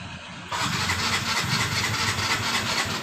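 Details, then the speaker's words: Yamaha Mio M3 scooter that suddenly became hard to start. The start attempt catches with a rough, hissy burst but never settles into a steady idle; check the fuel supply first before diagnosing further. "dengan keluhan pemiliknya motor ini eh tiba-tiba langsung susah hidup"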